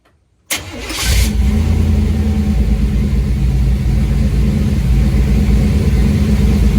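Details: 1991 GMC truck after a fuel system upgrade, fuel pump audible: quick crank, catches right away and settles into a steady, even idle with no misses or knocks, a normal start.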